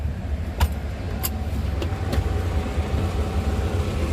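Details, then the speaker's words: 1995 Daihatsu Espass 1.3 used car at idle: low, even running with a steady pulse and no knocks or ticks, judged a good-sounding engine; only the tachometer is said to read inaccurately. "nah suara mesinnya juga masih kategori harus temen-temen enak"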